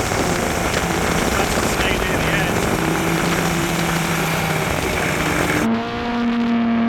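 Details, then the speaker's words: Arctic Cat Cheetah 440 two-stroke snowmobile bought for about $50, previously running rough, ridden under load with the camera on the dash; pulls steadily through the wind rush without stumbling or bogging. Normal running under load. "but it's running great it's running really good"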